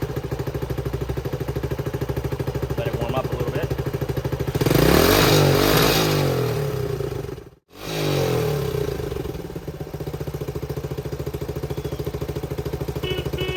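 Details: 1970 Honda CT90 idles at an even quick beat after fixing a fuel leak caused by a float stuck open; revs cleanly on a brief blip, then settles back to a steady idle.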